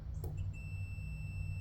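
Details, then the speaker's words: Multimeter continuity test across a washer that gave no beep while dirty; after cleaning it with a wire brush, a clean, steady high beep holds, showing good continuity. "you can hear it beep but by simply cleaning it off with a wire brush let's get it down get a good surface there now it's clean clean enough that made that big of a difference now we can um have current through that"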